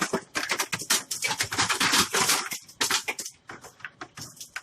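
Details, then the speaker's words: Hoshizaki KM ice machine after installing a paddle-type bin control switch, entering defrost with ice already on the evaporator: irregular bursts of clattering and cracking as ice sheets break loose and drop; normal harvest, machine working. "So you can hear the ice. There was some ice on the pack already, so it's actually goes into the defrost."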